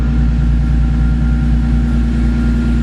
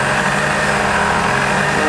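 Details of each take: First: Car with newly installed Horsepower Freaks turbo kit, super-cold start in a cold shop, took a few extra cranks: rpm rock solid, steady smooth hum with no misses or knocks, revs up; healthy cold idle. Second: Supercharged vehicle (VF supercharger kit) after dyno pulls, intake manifold air around 140–147°F: steady idle with a mild rise and fall in engine speed; surging idle, cause not found, cold start sometimes rough.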